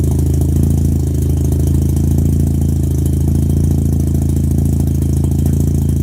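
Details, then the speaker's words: 13B rotary in a Factory Five 818, startup fast idle about 1500 rpm; front rotor had very low compression and was barely firing, rear fine at about 100 psi. Deep, uneven, raspy drone like an exhaust leak though none existed; owner unsure if unburnt fuel or manifold backfire. "The rear rotor was running fine, but the front rotor was probably barely firing, which is, it had a weird sound, almost like an exhaust leak, but it wasn't leaking exhaust."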